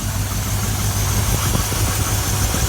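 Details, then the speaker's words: 2000 Chevrolet Silverado after spark plug and thermostat change, had been hesitating and overheating; deep V8 idle, uneven lumpy pulse with occasional stumble; still idling slightly rough. "man this this trucks is still running it's running a little bit rough"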